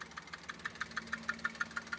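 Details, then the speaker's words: Maruti Suzuki S-Presso at idle: light, even chirping ticks about six per second. There is a slight noise from the belt and a louder noise from elsewhere; owner thinks a loose clip is causing it, unconfirmed. "बाकी इसकी belt से आवाज आ रही है हल्कीफुल्की और यहां से आवाज ज्यादा आ रही है पता नहीं क्यों"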